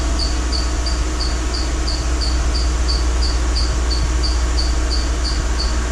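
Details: 2012 Mercedes-Benz GL450, engine running while the air suspension pump raises the car after rear air spring replacement: sharp high chirps about three to four a second over a low hum, from the drive belt; no air leak hissing heard.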